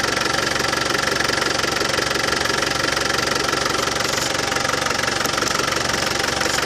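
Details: Land Rover Defender 200Tdi diesel idling after new power steering pump fitted and steering system bled: even clatter about 200 beats a minute, no rattle; new pump cured it.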